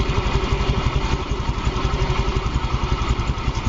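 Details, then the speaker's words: Yamaha Fino 125 scooter after valve clearance adjustment, exhaust valve had been too tight: even, steady idle with no ticking, rattle or hunting; engine smooth and quiet, holds idle when throttle released. "Nah. Lepas gas. Yes. Motor stasioner. Ya. Lembut mesinnya. Tidak berisik."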